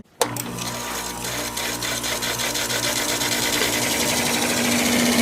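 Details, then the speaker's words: Window air conditioner with GFCI plug, first spring start after winter storage, on max cool with fan on low: fan rush builds over low, even hum, no knocking or grinding; healthy startup. "sounds great"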